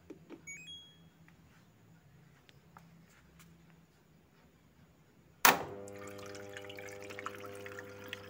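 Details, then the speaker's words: LG inverter Direct Drive front-loader, module repaired for DE1 error that persisted after door lock replacement, tested in rinse mode: quiet clicks, then inlet valve opens with a sudden hiss and steady rushing water. No DE1 error, filling normally. "Sudah nggak error DE1, normal ngisi air."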